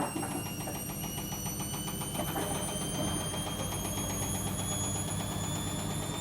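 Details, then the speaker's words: Logik L814WM16 front-loading washing machine making a loud, harsh rapid grinding rattle, with a whine rising in pitch as the drum speeds up during spin; owner considers scrapping it. "I think it's all making an awful grinding sound. Can you hear that grinding? I can't believe this machine is making an awful, extremely grinding noise."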